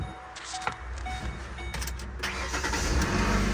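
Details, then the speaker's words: Vehicle with a dead battery, jump-started with Hulkman Alpha Pro jump pack at 54%: short, strong crank that catches almost at once and settles into an even idle; starts right up with no problems. "Starts right up with no problems. Yeah, I think it's safe to say that this thing packs a good punch."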